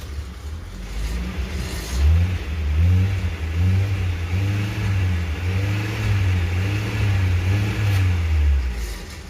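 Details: Maruti Suzuki Ertiga petrol, towed in with the check-engine light on: starts only with throttle applied, revs unevenly in surges and dies when the accelerator is released; heavy vibration and misfiring, engine timing problem suspected.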